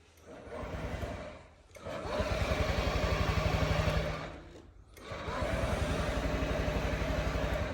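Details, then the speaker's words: Two long bursts of starter whirring with the engine turning over but never catching on a 2022 Honda Ruckus scooter with electric choke, key on and brake locked. "This thing won't start. I'll show you what it's doing."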